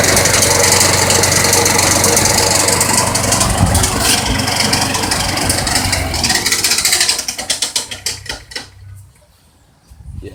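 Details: Roadside-found mower with a replacement engine, run through three oil changes without changing oil (oil very thin): loud rough running with hard rattling knock, then shuts off and coasts down; rod knock.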